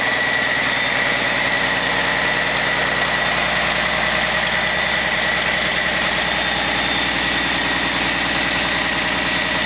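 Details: Caterpillar C13 diesel on first run after overhaul: steady, even idle with a fine regular clatter and no knocks, misses or surging; engine sounds healthy.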